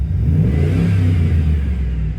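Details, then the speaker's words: Chevy truck with a misfire, after replacing spark plugs and wires: engine revs up smooth and even with a steady deep note, no stumble, miss or pop; way better than before. "I'm not going to lie guys that's uh that's way better way better than it was so way better than it was"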